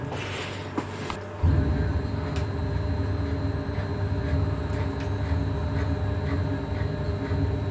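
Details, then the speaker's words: CNC milling machine Z axis after repair, linear scale reset, commanded to 3500 mm/min: quiet, then a smooth steady drive whine with no shudder or rattle; earlier terrible vibration gone, normal axis motion. "If you recall the terrible vibration I had in the beginning, then that is all gone now. But this works fine."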